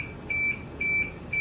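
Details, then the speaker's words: Toyota Vios with aftermarket push-start, remote start and alarm system; add-on OEM chime demo: three clear high beeps about half a second apart over quiet background, chime working as it should. "So OEM chime yung tawag dyan by Car Professor."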